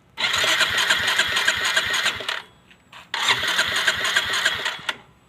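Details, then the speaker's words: Four-year-old Yamaha Mio Soul i 125S, valve cover off: quick metallic ticking about three per second over idle, worst at first morning start and fading when warm; not from the cams/head but inside the engine, worn crankshaft bearing. "Ayan so Ayan bale narinig natin na wala naman doon kasi dapat maririnig natin d sa head niya yan Napansin ko wala doun yung tunog nandun mismo sa sa loob wala dun sa head niya"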